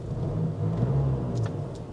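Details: Range Rover Evoque SE, 54,000 miles, no warning lights: steady low rumble swelling slightly under light revs, no knocks or whine; engine sounds healthy, though a slight heat shield rattle was noted earlier.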